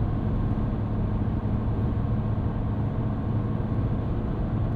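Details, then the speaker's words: 2025 Ram 1500 RHO, Hurricane twin-turbo inline-6, on Goodyear Wrangler all-terrain tires at cruising speed, in-cabin: steady low hum near 100 Hz over road roar, normal all-terrain tire howl, not a quiet tire. "A little bit of a howl from these Goodyear Wranglers. This is definitely not going to be your quietest choice for an all-terrain tire."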